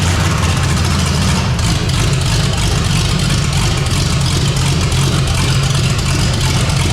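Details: 454 big-block V8 in a Civic, first start on temporary systems, new untouched carburetor: deep, loud, steady rumble, even beat, no misses or knocks; normal idle.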